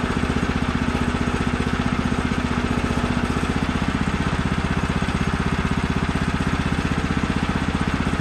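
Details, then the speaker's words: Brand-new Woodland Mills HM130 Max sawmill with a 14 hp Kohler engine cutting at full throttle after the throttle cable was tensioned properly, holding a steady, even firing beat with no surging or dropouts. Normal full-throttle running. "you saw me just make that change obviously it's now where it needs to be and it's cutting even better than it did"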